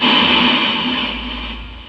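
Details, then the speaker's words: Boss GT-10 guitar effects unit with a constant loud hiss like an untuned FM radio, even with the input grounded. It fades slightly but the level meter keeps showing signal; traced to leakage from damp dust on the board. "Hari ini saya kedatangan Boss gt10 suaranya seperti radio FM ya Jadi ini ngosos terus"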